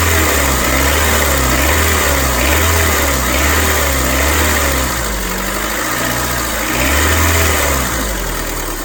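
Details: 2001–2005 Honda Civic LX engine making a strange noise when accelerating: revs rise and fall with a whirring rattle from the belt area that tracks speed, caused by a worn-out, failed timing belt tensioner.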